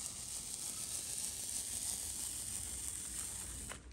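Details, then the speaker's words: Paint roller on a French door, evenly loaded: an even, sticky hiss that stays the same along the whole stroke, with no rattling or bumpiness from dry parts of the roller. "you hear how there's no rattling or bumpiness you know what that bumpiness is it's going over the dry part of the roller and so it makes a certain sound"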